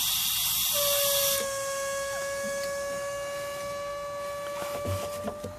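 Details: 1970s MGB GT stuck at about 4 psi boost, during boost leak test: sharp rushing hiss then thin steady whistle as pressure bleeds off; suspected boost leak at the brake booster hose.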